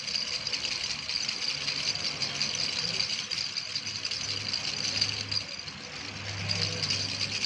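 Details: Engine ticking over with a constant light, tinny rattle on top; the source of the rattle is unclear.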